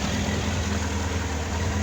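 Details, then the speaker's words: Honda X4 motorcycle after valve adjustment and carburetor synchronization: steady, even low hum holding stable idle, no hunting or ticking, partly masked by workshop extractor fan; normal idle. "Ну вот, мотоцикл Honda X4 отрегулирован. Работа проделана по мотору. Работает очень хорошо."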